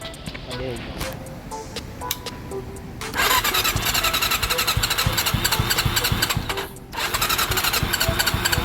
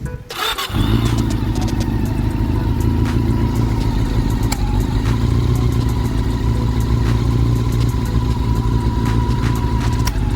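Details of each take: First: Honda CB400 revived after long storage with rusted head and valves; fast steady tick from the head over idle, owner first suspected tensioner or chain guide, then found valve clearances had grown; excessive valve clearance. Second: CB400 engine, long stored and rusted, after head work (original cams reused, valve clearance re-set): starts cleanly and settles into a steady, even idle with no ticking from the head; normal idle.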